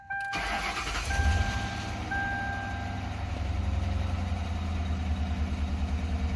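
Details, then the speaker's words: 2004 Ford Crown Victoria Police Interceptor V8, cold start after the engine bay electronics were soaked in a wash; catches, then a lumpy, uneven idle with a rhythmic stumble, described as a little angry: rough idle with misfire, cause suspected, not confirmed. "oh she is a little angry but let her warm up"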